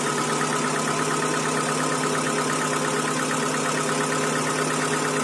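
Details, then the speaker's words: 2012 Hyundai Accent petrol/CNG, after new tappets fitted for a loud engine noise: even, steady, smooth idle with no top-end tapping, now almost soundless; normal idle after repair. "अब बहुत सुरीली आवाज है इसकी और अभी चलने के बाद में देख रहे हो बिल्कुल एकदम साउंडलेस हो गई है ना"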